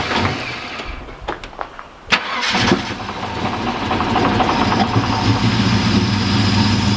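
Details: Holden VN SS Commodore 5.0L V8 that sat for years, low kilometres, new in-tank fuel pump, car lowered to the ground so the tank picks up fuel; a few starter cranks, then an even, deep V8 idle burble. Normal start.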